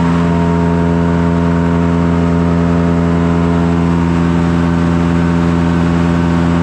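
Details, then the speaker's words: Blower driven by the PTO of a John Deere 2955 tractor, revved up after repairs: steady, even whir with constant driveline hum, no ticks or rubbing; blower running good. "Give me some RPMs and I got to take a look. Sounds like it's running good. Going to rev it up all the way."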